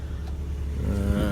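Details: 2004 BMW Z4, all-aluminum engine, after replacing electronically controlled thermostat for high-resistance thermostat code: warm, gauge about halfway, low steady idle hum with no knocks, misses or rattles; normal idle.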